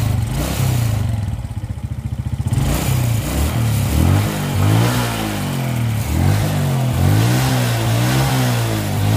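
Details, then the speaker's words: Suzuki Smash motorcycle with carburetor complaint: engine stutters and misfires (brebet) each time the throttle is opened, even gently; spark plug likely blackens and dies quickly and fuel consumption is high; carburetor to be inspected. "nah begitulah Tadi suaranya merk sahabat semua suaranya itu pokoknya tiap ditarik gas itu suaranya Jadi tiap di tarik gas pelan-pelan itu langsung suaranya merebetnya jadi kelihatan sekali"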